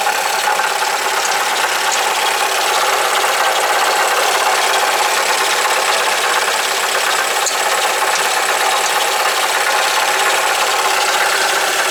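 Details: Alfa Romeo GT 2.0 JTS, idling, heard from underneath in the pit: loose rapid metallic rattle steady throughout, initially thought inside the engine; broken-up catalyst material shaking inside the catalytic converter.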